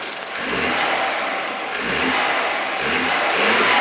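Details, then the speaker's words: BMW F30 328i with N20/N26 engine after maintenance, metal valve cover amplifying noise and no beauty cover: revs up and settles smoothly, crisp even exhaust, no knocks; tractor-like sound normal, healthy. "Also, yes, these motors sound lousy. Apparently, they sound like tractors, but since we put in a metal valve cover, that sound is amplified."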